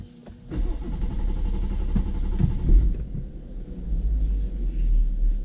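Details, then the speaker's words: BMW F-series M140i after flashing a Bootmod3 Stage 1 map, with brake-pedal start coded out. After the ignition is off for 5 seconds, the starter cranks about half a second, a little slow to start, then the engine catches into a steady idle. "Generally it would fire straight up. We've coded out the brake pedal push for start on this, and to be honest, we're going to be going back to brake pedal start every now and then. It's just a little bit slow to start for whatever reason, but I wouldn't expect that at all with Bootmod."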